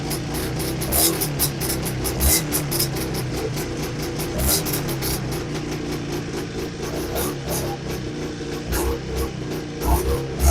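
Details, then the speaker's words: Old AMF vintage snowmobile, last run in summer, first start of season: fires right up, crisp quick two-stroke popping holding an even beat with small surges; idles cleanly, a runner. "Well, that one fired right up. And sounds like she's going to run. She wants to go, so I guess that's a runner."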